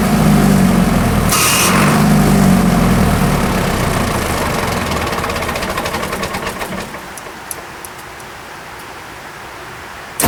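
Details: Military surplus diesel generator set run after years of storage: steady loud running, then after about six seconds the beat slows and fades as it shuts down on overspeed.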